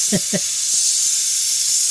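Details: Flat tire from a screw/nail, car jacked up on a jack stand with air compressor added: steady sharp hiss of air escaping from the puncture after a couple of clicks; tire air leak, to be fixed with a plug kit.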